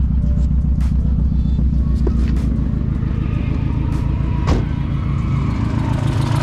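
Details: Drift car engine idling low and uneven with a lumpy misfire that persists after the spark plugs were refitted in a different order. The owner fears a damaged valve and notices a possible exhaust leak near the manifold.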